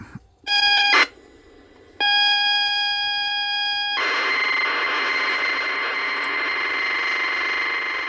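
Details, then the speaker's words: Vintage computer cassette (Boots C15, football game) played on a cheap USB cassette deck: short tone burst, pause, steady high tone, then dense hissy warble; normal tape data loading sounds. "and that's the sound of the computer game it could be data it could be in the game itself who knows"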